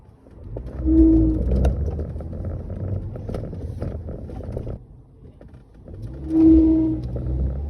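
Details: Ford Grand C-Max pulling away on a very slight incline: mid-pitched whooping whine swells twice over low engine and road rumble; dealer could not replicate the fault.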